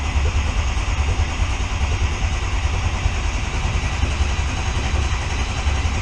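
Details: Diesel truck running after a year, after a hot no-start repair, started with ether on weak batteries from early 2011: steady, deep rumble with an even beat and no misses or knocks; starts and idles cleanly.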